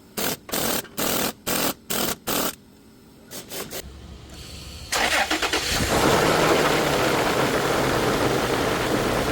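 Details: Engine after an alternator pulley bearing fix: six short bursts and a pause, then it starts and settles into a steady, even run with no bearing whine; normal running.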